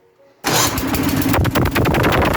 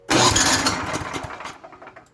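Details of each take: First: Troy-Bilt/MTD snow blower with Tecumseh engine, after installing a replacement starter and fitting the safety key: engine catches at once and settles into a steady running beat; clean, normal start. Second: Troy-Bilt/MTD snow blower with Tecumseh engine, after installing a replacement starter, choke on: starter whirs and the engine turns over briefly without firing; suspected cause is the missing safety key, not confirmed.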